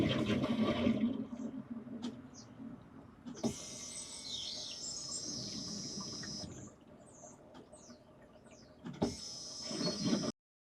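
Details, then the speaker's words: Key-on fuel pump priming on a 2009 Vauxhall/Opel Insignia (147,000 miles) after an oil and filter service, ignition cycled five or six times: short high whine for a few seconds each time, stopping and returning, normal priming. "You'll hear a whining sound. That's the fuel pump pulling fuel in."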